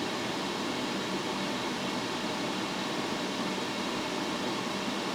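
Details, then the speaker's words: Laser engraver factory exhaust fan with inline exhaust fan switched on high, airflow rising from 2.93 to 3.58 m/s; constant high rushing whoosh, no pulsing, as the factory fan spins faster than it's supposed to; fan overspeed from inline fan. "then I turned on the inline fan and it went to 3.58 so a pretty good jump there from 2.93 to 3.58 and you could hear the factory fan spin up faster than it's supposed to go"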